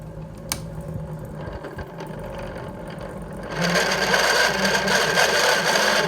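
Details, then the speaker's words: Vintage floor fan before cleaning and repair, recently freed up after being stuck: fast steady rattling whir, about four beats a second, with a screeching rough edge; owner suspects worn motor bearings. "now I guess I I might need new bin earrings I'm not sure but something that's screeching I hated it before"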